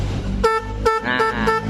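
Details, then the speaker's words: Honda Blade motorcycle's stock horn, silent only because of a broken wire, reconnected and tested: four short, thin reedy toots; it still works but is too weak, so dual Race Pro kiong horns are being fitted. "ternyata klaksonnya juga belum rusak, masih bisa, cuman suaranya kurang kenceng ya."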